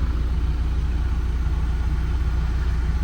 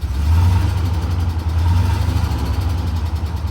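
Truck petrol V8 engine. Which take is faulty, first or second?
second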